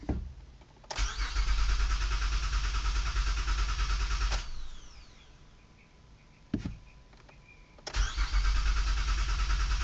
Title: 2008 Honda Odyssey won't start 1